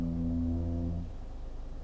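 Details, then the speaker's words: Genesis GV70 SUV creeping forward at slow traffic speed: brakes make a deep hollow groan with a steady low tone, like a sinking ship. "The brakes are quite noisy when you're just creeping along at slow speeds. Have a listen to this. So imagine you're like controlling the car in traffic, just easing forward."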